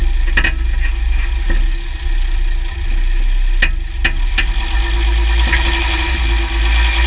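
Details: 2009 Jeep Grand Cherokee WK 3.0 CRD diesel with Quadra-Trac II, GoPro on the skid plate: irregular sharp clicks and clunks over a low diesel rumble under load changes. Driveshafts test OK, front diff bushes replaced and transfer case oil changed; cause still unknown.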